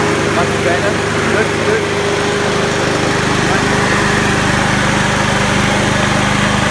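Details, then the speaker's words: Honda HRU216 mower, single-cylinder at full throttle in the fast position: steady drone running noticeably slow, about 20% under full rpm because the governor lever is set low; moving the governor arm further right raises speed. "so you can hear what a massive massive difference that's making moving that Governor on go see its I say it's down twenty percent on its full rpm speed"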